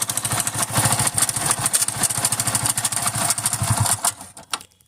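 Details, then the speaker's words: Hero Splendor iSmart 110 motorcycle at idle: rough clattery knocking with the firing beat from inside the engine; timing chain or self-start one-way clutch suspected, to be checked by opening the engine. "मैं अनूप कुमार और यह problem लेकर आया हूं Splendor smart 110 जिसमें आवाज़ ए रही है इंजन से"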